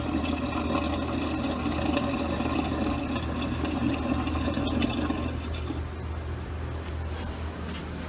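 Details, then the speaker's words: Samsung DW-ADR5061UG dishwasher in its drain phase after rinse during a cleaning run for bad odor, 1:39 remaining: steady watery drain pump hum with sloshing that thins as the tub empties, normal drain. "and now it's draining 39 which is 100 which is an hour and 39 minutes right now"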